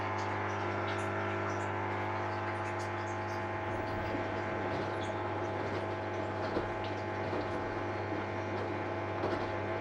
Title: Is this buzzing sound normal for LG F1403RD? Solved - circulation pump knackered.